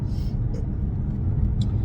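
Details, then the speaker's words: 2000 Jaguar driving at speed, heard in the cabin. A heavy steady low drone from an unrepaired worn wheel bearing, which has grown louder. "I still haven't fixed the wheel bearing so you can probably hear it's got quite a bit louder"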